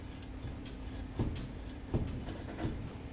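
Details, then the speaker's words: 2012 Lincoln MKZ clunking over bumps, front tire pried up with a steel bar: three dull clunks about once a second; strut bearing clunk, the strut bearings have collapsed. "slide it underneath about a quarter of the way and then you can lift we can hear that clunk noise you guys hear that"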